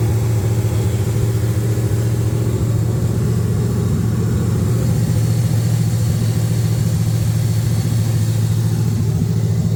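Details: 1979 Camaro LS-swapped V8 after intake replacement (crack found on old intake), before codes were read: idle with uneven, loping beat that never settles; rough idle, cause not yet pinned down.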